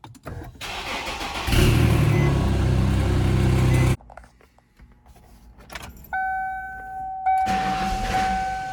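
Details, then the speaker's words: 1995 Ford Mustang GT, lean with no power after MAP sensor cleaning: brief crank catches into a rough low rumble for a couple of seconds, then dies; stalls after start. Owner suspects a bad fuel pump; runs with MAF disconnected. "Now it's doing the same thing again. Doesn't want to start. Guess it could also be a bad fuel pump."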